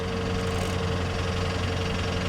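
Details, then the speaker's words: Car at Copart, oil looking clean and not milky. Steady idle with a fine rapid top-end chatter that persists through a light rev. Possible mechanical damage suspected. "I don't like that chatter but some of these cars sit for a long period of time guys and that can uh take a while for the top end to get re-lubricated"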